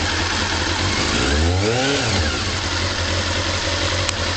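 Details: Honda CB-1 motorcycle idling after standing cold a few hours: slightly uneven idle with quick light tappet ticking, then a throttle blip revving cleanly; it had cut out on throttle but pulls smooth through the revs.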